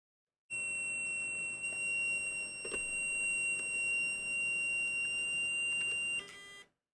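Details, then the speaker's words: Loud steady high-pitched alarm-like tone for about six seconds at power-on of a rebuilt first PC; the hard drive was suspected, then after unplugging it the builder thinks it was the Mac Store Drive. Not confirmed. "I don't know what was making that noise unplug the hard drive and find out"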